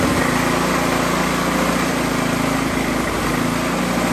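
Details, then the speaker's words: Older Coleman PowerMate generator with plugged carburetor, small single-cylinder engine running on carburetor cleaner spray with choke shut, switch on run: fires unevenly with no steady beat. "This thing's got the carbs plugged up pretty good, so we're gonna go ahead and give it a little shot of Happy Juice."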